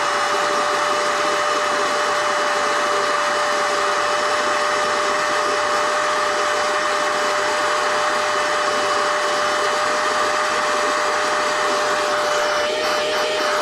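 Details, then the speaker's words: NovSight G5 6000A jump starter/tire inflator's built-in air pump, switched on and inflating an item until it is taut: steady high-pitched motor whine with constant airflow rush, even throughout; normal operation. "So, to do this, see where you're at here, I'm going to hit the pump. First, got to turn the unit on."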